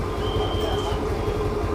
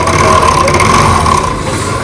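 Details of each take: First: TVS Jupiter scooter after an engine rebuild with many parts replaced for heavy bearing noise; starts first try: smooth, even engine hum at steady speed with no ticking, knocking or rattle. Normal running, sounding like new. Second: TVS Jupiter scooter engine running with a harsh, very loud metallic clatter and rattle, suspected cracked connecting rod bearing; engine then opened to show the connecting rod.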